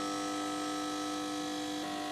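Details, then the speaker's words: Unit on power-up: steady, loud electrical hum like a shorted transformer, then a few sharp clicks; power supply fault suspected, not yet investigated. "oh that sounds like a shorter transformer almost"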